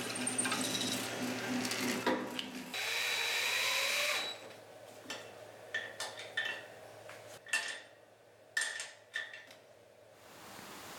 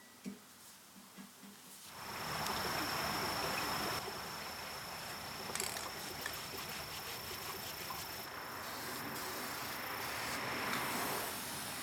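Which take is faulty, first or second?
second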